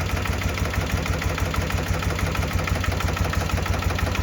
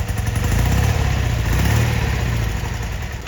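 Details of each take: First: 1972 BMW R75/5 with Bing 32mm carbs during idle-drop tuning: a very slow, lumpy idle about two pulses per second, near stalling, as the mixture screw is backed out; turning it in an eighth turn brings the idle back up. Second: 1972 BMW R75/5 airhead twin with Bing 32mm carburetors, engine a little cool, idling at 930 rpm with vacuum balanced 59 and 59 during carb sync: low, even thumping idle with no misses or clatter; healthy, balanced idle.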